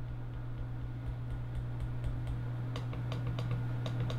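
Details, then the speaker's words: HP Spectre x360 Kaby Lake i7 laptop, glass-covered trackpad: faint irregular light ticks, about three a second, over a low steady hum from the front left edge only, without clicking the pad; owner suspects a manufacturing problem, clicks still register. "the only thing that I've noticed that's weird as it's got a little bit of a noise up on the very front of it let me see if you can pick this up it's only on the left side I don't know if that's my unit or all of them"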